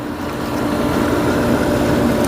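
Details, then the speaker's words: Newly installed Aquastrong HEX075 pool heat pump running; the steady even hum with faint drone and no knocks or squeals is the pool filter pump, the heat pump being barely audible; normal running. "It's powered up, it's running, and the noise that you hear is the pool filter, actually. This is a very, very quiet unit. You can barely hear it."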